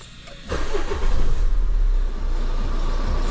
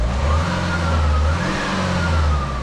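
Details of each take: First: Renault Scenic 1.9 dCi F9Q diesel after turbo replacement for whine and oil consumption: cranks, catches within a second, then settles into an even idle with no whistle or knock; running healthy. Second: Renault Scenic 1.9 dCi F9Q diesel, with customer-reported slight oil consumption, revving: wavering whistle/whine rising and falling from the failing turbo.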